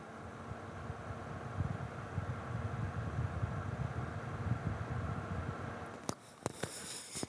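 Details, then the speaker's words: Viltrox Ninja 30B 300 W bi-color LED light with its cooling fan at full speed, normal; it spins up to full right away when the light is turned on. Steady fan whoosh with low hum, a few handling clicks. "the fan will pretty much spin up pretty much full speed right away when you turn the light on so that's another point to consider as well"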